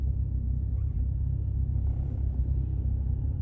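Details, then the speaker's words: Mk2 Golf GTI 16v with new engine on first running-in shakedown drive, kept under 4000rpm; warm idle, smooth low even rumble from cabin with no stumbles or knocking, temperature rising slightly while sitting. "idle's pretty good on this as well not too bad"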